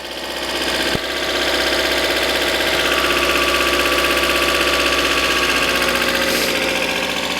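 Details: 1994 Mercedes W202 C220, full tank, coolant not yet 40°C: even, steady idle with no knocks or misses and a smooth unchanging note; engine running fine.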